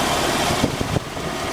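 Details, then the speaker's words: Jeep XJ on-board air system (AC compressor conversion with inline oiler), hood open, filling the air tank from 90 psi: steady engine hum with mechanical chatter and soft compressor clunks; running normally. "So if you're wondering, this is what the system sounds like with the hood opened and it filling up the air tank."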